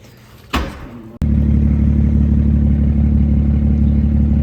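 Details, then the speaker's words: BMW 335xi first start after a head gasket replacement with an Athena cut-ring gasket, cooling system being bled, snowing: the starter catches and settles straight into a steady, even idle with no knocks or misses. It runs normally. "right, guys, she's running. She sounds good. Of course, it's snowing, so we can't do any crazy pulls. But she's alive again."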